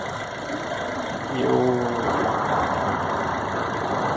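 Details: 2000 Chevrolet Astra idling during work on noise near belts: smooth steady idle, even hum, no ticking, rattling or bearing whine; engine sounds healthy.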